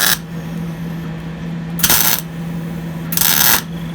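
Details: MIG spot-welding primered bedside panels on a 1953 Ford F250 truck: two short, crisp sizzling crackle bursts like cooking bacon over a low hum, a steady arc with a good ground.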